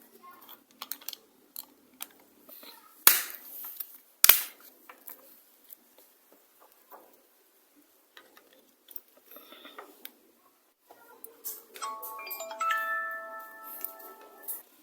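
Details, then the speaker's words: Keypad mobile phone after speaker repair, previously no sound; after a few handling clicks, steady beeping tones play clearly from the tiny speaker; speaker now working. "இப்போ பார்த்தீங்கன்னு சொன்ன நண்பர்களே, முதல்ல சவுண்ட் வராமல் இருந்துச்சு. இப்போ பார்த்தீங்கன்னு சொன்னால் ஒன்றாக்குற நேரமே ஸ்பீக்கர் சவுண்ட் வருது."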